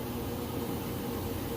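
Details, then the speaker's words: GE washer, inspected, heavy load, final spin with drain running: even quiet whoosh and low hum, no knocking or thumping; balanced fast spin running normally. "It's spinning nice and fast, and as you can hear, it's nice and quiet. The drain is running."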